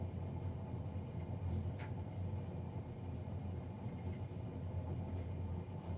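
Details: Navien NCB-240 boiler, serviced Jan 31 2020 and recorded Feb 3 2020: constant low rumbling drone with a steady hum, no rhythm; combustion fan running noisy, cause unclear.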